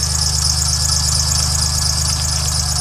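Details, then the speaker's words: 2007 Dodge Nitro at idle before repair: steady high-pitched squeal over an even idle from the belt drive; worn idler pulley/belt tensioner, to be replaced. "that is a belt tensioner that we have to change out right down there"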